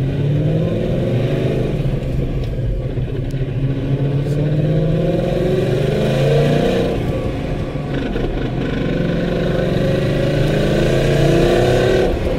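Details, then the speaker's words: 2014 Whipple-supercharged Ford Mustang, MT82 Getrag six-speed manual with Barton short-throw shifter, 37,000 miles: loud gear whine over road noise, pitch tracking road speed, constant on decel and acceleration, none with clutch in; no grinding; failing transmission. "2014 MT82. Massive whine. Barton short throw shifter. Massive whine."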